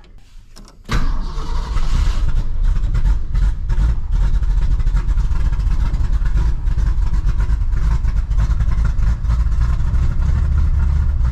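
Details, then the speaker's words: Engine with Edelbrock 600cfm carburetor freshly cleaned of ethanol corrosion, cold start on choke: quick crank, catches and holds a steady, deep, elevated idle, idle screw still set high from earlier rough running; runs smoothly, idle to be tuned down once warm. "We'll be able to get the screwdriver on it and tune it down, but it's running. It sounds good."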